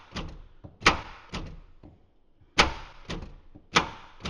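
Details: 2013 Ford F150 with 10-year-old RideTech air ride: electric door popper after a corroded connector was replaced and main power run to it. Sharp clunks and thumps in uneven bursts as latch releases and door swings; working properly.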